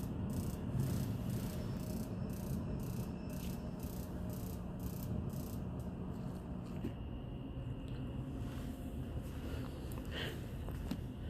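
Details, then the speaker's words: Gas furnace called for heat with thermostat turned up: steady clicking ticks, roughly two per second, over low fan rumble, no flame whoosh; igniter sparks but burner never lights, flame sensor suspected, not confirmed. "okay so as you could see as you heard it was sparking it was parking but it didn't get a chance to ignite perhaps it's a flame sensor issue we'll find out"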